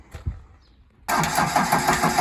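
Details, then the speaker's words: Liebherr loader with a Deutz diesel that will not start: steady, even cranking pulses but no firing, fuel coming from only one injector; the electromagnetic solenoid controlling the rack on the injection pump had failed. "Запустился наш двигатель. Оказалось всё-таки плохо. Электромагнитная катушка, управляющая планкой, которая подсадина к ТНВД, покинула чак."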